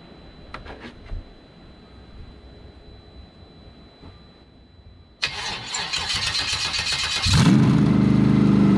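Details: C5 Corvette engine and drivetrain with open headers; starter cranks a couple of seconds, then it catches into a loud, even, throaty idle on the second start attempt; every exhaust port was checked with a thermometer to confirm all eight cylinders firing.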